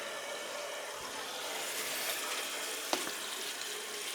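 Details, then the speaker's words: Gas boiler heating system with air in zones, after clearing electrolysis blockage in water feeder: steady hiss of water rushing through feed valve, previously not feeding; water feeder flowing normally. "yeah it's feeding now see before it wasn't feeding you couldn't hear it going through"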